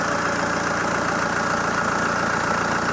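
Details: ZMZ-514 Euro 2 turbodiesel after repair for knocking, head refitted: ticking over at an even, steady idle with no heavy bottom-end knock; sounds healthy.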